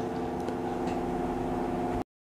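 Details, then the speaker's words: Fan powered by a DC-to-AC power inverter (modified sine wave) gives a steady buzzy electrical drone, because the inverter does not output a proper sine waveform for the motor. "Hai kipasnya ada yang menghasilkan bunyi dengung genap D menghasilkan dengan dengung Sebab Dia tak dapat eh please gelombang isi yang betul"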